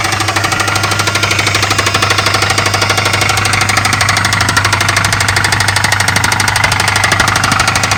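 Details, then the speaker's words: 2011 Dodge Charger RT, 5.7L V8 Hemi, 128,000 miles, automatic, at idle: loud, very regular sharp metallic knock about three times a second; bad engine, internal knock, cause undetermined. "this one has a bad motor it's got a 5.7 liter V8 Hemi with 128 000 miles but the motor has a loud look so it's got a bad motor"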